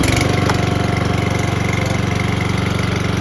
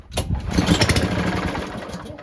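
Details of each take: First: Lawn mower that previously would not run, after air filter check and carburetor cleaning/tuning: steady, even single-cylinder putter with regular beat, no misses or surging; mower now runs cleanly and healthy. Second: No-start mower, before carburetor cleaning: one cord pull, the engine catches with a ragged burst of firing, then sputters and dies within two seconds; the carburetor jets are clogged.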